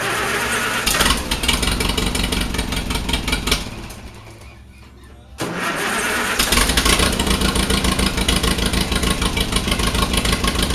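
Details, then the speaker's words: Allis Chalmers WD45 tractor warming up before a compression test, with the motor due for a rebuild: cold start, then an uneven, lumpy run with missed beats as one side is not firing. The misfire is intermittent and a head gasket leak is suspected. "I mean, it runs good. It doesn't smoke or nothing. But this side is not firing. When you take this off, it's not firing."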